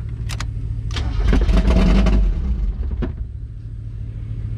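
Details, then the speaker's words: Abandoned 1991 1.6L Mazda Miata with no coolant and a loose thermostat housing cranks, fires and revs for about a second, then dies with a sharp electrical-like crack; the owner suspects sketchy wire nuts, and the timing is unchecked. "you're like cranked and fired shut off and then made a crack almost like a electrical crack i don't know if it was back here"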